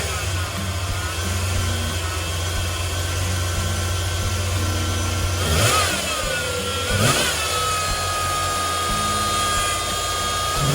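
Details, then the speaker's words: 1993 Ford F-150 5.8L 351 Windsor after throttle position sensor replacement fixing erratic idle and no start: steady even idle with a couple of short blips, no stumbling or racing; normal idle. "Well, it's running, so that took care of that."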